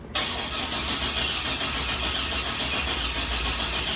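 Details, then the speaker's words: 2004 Chevy Silverado 4.3L RWD right after a new crank sensor was fitted, which now gives an RPM signal: steady fast starter cranking that never catches, only a couple of barks; still crank no start, weak spark suspected. "see we're actually getting something now all right but it's not starting still so before this would stay at dead zero with the old sensor which your attack's going to pick up off of the crank sensor so we're getting something there now that's progress"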